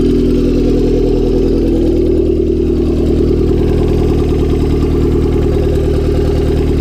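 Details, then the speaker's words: Honda Civic D16Y7 turbo, cold start a day after spinning a bearing: rough idle with a dull, irregular knocking under the exhaust drone; no oil light came on. "So a day after I spun a shell, figured better give it a start, see what it sounds like today."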